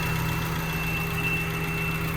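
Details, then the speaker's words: 1992 Honda Civic hatchback, warmed up at idle, third alternator fitted and new belt tightened: steady high-pitched whine over an even idle, unchanged; seems to come from the alternator but source unconfirmed; whining noise at idle, only at idle. "and of course this is the third alternator and it's still doing it what is that sound coming from it's awful"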